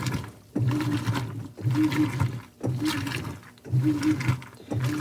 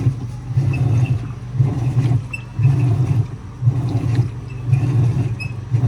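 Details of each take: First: 2011 Whirlpool Cabrio Platinum top-load washer (WTW8200YW0), Fisher & Paykel direct-drive motor, no belt, bearings and basket drive cogs replaced, sheets cycle with towels: rhythmic agitation strokes about once a second, water sloshing, steady motor hum between strokes; normal agitation. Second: 2011 Whirlpool Cabrio Platinum top-load washer (WTW8200YW0) agitating a large load of towels before its bearings were replaced: a deep rumbling growl swells and fades about once a second with each stroke; worn tub bearings, though it still moves the load.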